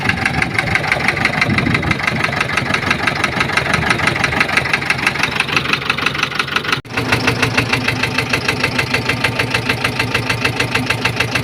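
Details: Massey Ferguson 460 Xtra tractor with a Perkins 1104 diesel, also overheating: the engine idles with a hard, steady knock riding over the usual diesel clatter.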